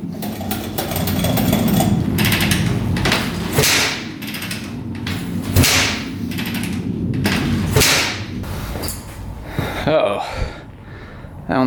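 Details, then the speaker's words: 2004 Suzuki RM-Z250 after rebuild with new crank, bearings and top end: several hard kick-over bursts, short rough churn dying away, never catches; cranks but will not start, same as before teardown, cause unknown. "what's going on it is not firing huh what the heck not good H we had the same problem before we tore it down too"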